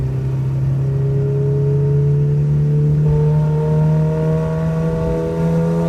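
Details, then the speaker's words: Nissan Sentra with SR20VET swap, new traction bars, pulling through the gears: steady, evenly rising drone, no surging or hunting; boost holds a steady 9 psi instead of the earlier quick fluctuation between 6 and 9. "So it just wasn't a constant 9 pounds. I have clips of it on the steady 9 pounds."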